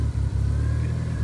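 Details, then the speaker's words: Mitsubishi 4G63-swapped automatic SW20 Toyota MR2 with flex fuel sensor, run mostly on E85 and now on pump gas after the exhaust leak fix: idle sags and recovers several times, nearly dying. Running lean and surging, needs a retune. "surging, lean, ridge. Oh, it might die."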